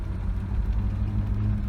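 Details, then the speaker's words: Kia Sportage I tailgate after repair, rubber bumper made from old hose: driving rough road, only steady low rumble; rattle and squeak gone. "полная тишина 1 год помощью старого патрубка kemet велика грохот пропал ну и скрип соответственно тоже сами все слышать как было и как стало"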